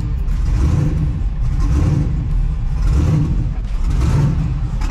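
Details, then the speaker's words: Twin-turbo LS-swapped New Edge Mustang started for a cooling-system test: deep, lumpy idle with a loping, big-cam-like rhythm; owner is unsure why it sounds this way and wonders if a sensor is dead. "don't you love that I just just fired right up it always sounds like it's got a big boy cam in it"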